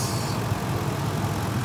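Low, even idle hum with no cycling clicks or surging; the compressor stays engaged and runs smoothly, as it should when charged.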